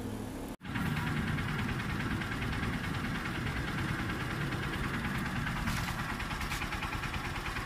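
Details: New Honda TMX Supremo 150 single-cylinder motorcycle, fairly new, diaphragm-type carburetor, brought in for being noisy; idles evenly with a steady, quiet beat and no loud valve ticking: normal idle.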